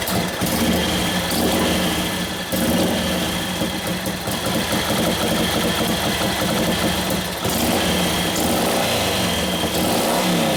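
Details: 1941 Harley-Davidson WLD 45 flathead V-twin, custom-built 56ci stroker: lumpy idle with uneven revs that sag and recover; idle speed rose then it died, very touchy on mixture. Lean main jet, which was turned out to richen.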